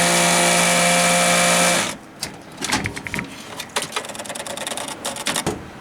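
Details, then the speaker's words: Computer water cooling loop: sudden loud steady whir with high whining tones, cutting off after two seconds; first thought a fan, then suspected the coolant pump; pump later replaced along with bad noisy fans. "uh case you folks can't hear that that sounds like a fan fil that just occurred on my computer here just happened to be recording a farming Sim video and all of a sudden this thing went wild"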